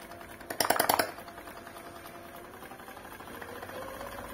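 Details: Peristaltic pump for thick mash, measured at about 310 L/h, demonstrating its soft start: a brief burst of clicking, then a faint stepper whine that rises gently in pitch as the pump eases up to speed; a healthy soft start.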